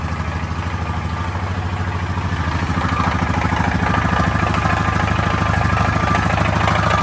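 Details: 2013 Honda Foreman 500 at idle: steady idle with a light regular clatter about three times a second riding on the engine note; mystery engine noise, source not identified.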